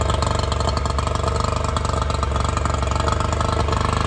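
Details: Quick, even two-stroke burble of about four beats a second with no knocks or misses: the freshly reassembled 50hp Yamaha outboard on a 1990 Smoker Craft boat runs cleanly.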